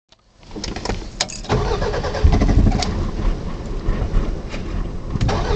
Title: Car won't start